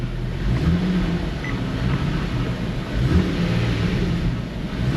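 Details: Nissan G37 after misfire repair (bad ignition coil), misfire counts reading zero: engine revs up smoothly through a deep steady note with no stumbling or popping; misfire gone.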